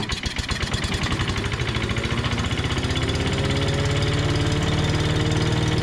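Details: 5.5 hp Tecumseh engine on an MTD Yard Machines chipper/shredder, started after a carb clean with gas in the throat and a sticky governor linkage. It catches, stumbles briefly, then settles into a steady, even putter; running normally.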